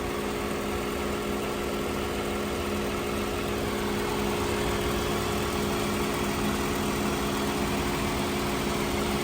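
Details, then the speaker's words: Toyota Camry V6 idling with hood open after dealer repair, possibly timing chain related; smooth, even idle with steady low hum, no more of the earlier ticking or knocking; normal idle after repair. "this sounds much more normal I still don't know if you can hear me but this sounds way better no none of that real apparent knocking that we had before"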